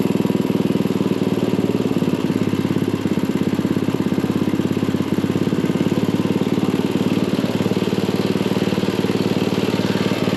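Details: Craftsman dual-tine tiller, 9 ft-lb LCT engine, after repairing mouse-chewed ignition wires causing no-start, spark plug refitted, air filter off: steady even putter with quick regular firing beat, no misses or surging; running normally.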